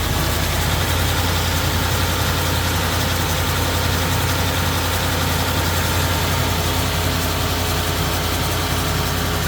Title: Ford F150 5.0 on whining Noise on cold start